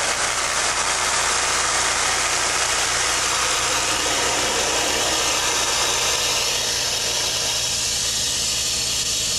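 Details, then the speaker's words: Control valve test rig with inlet pressure raised from 100 to 200 psig: loud, constant gravelly hissing roar of severe cavitation and flashing, about 108 dBA, vapor-liquid mixture through the test section. "the inlet pressure is increased from 100 to 150 psig and then to 200 psig that an increase in the level of noise and vibration is experienced under these pole conditions the sound pressure level is about 108 dba"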